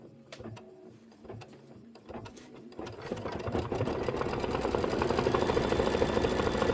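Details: Embroidery machine doing decorative stitching on a Kimberbell Soft Serve block: fast even needle chatter about three stitches a second sounding hollow and rattly, the sound of stitching with no thread.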